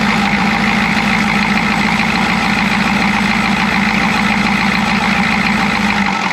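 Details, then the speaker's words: Chevy G20 van with 6.2L diesel and a grease-caked intake manifold, heavy idle with an uneven lumpy beat of about three pulses a second; misfire, owner suspects a timing problem. "it's kind of not backfiring but it's missing it's there's a there's a timing problem and you can hear it you can feel it"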